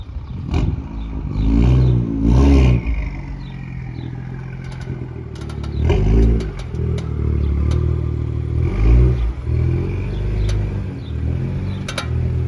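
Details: M2 pulling away: engine and road rumble with scattered sharp chassis clicks every second or two; brakes, lower control arms and wheels already checked, and KW coilovers suspected but not confirmed.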